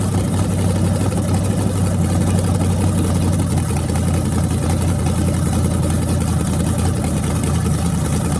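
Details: Freshly rebuilt small block Chevy 350 (355) on a converted run stand, open headers, restarted after adding gas: a steady, deep idle with no misfires, knocks or ticking. Normal idle; afterwards it reads 107° front and 76° back, plenum 69°.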